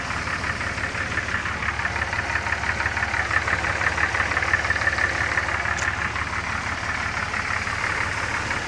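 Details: Engine at steady idle with loose, uneven knocking roughly twice a second; source of the weird noise unidentified.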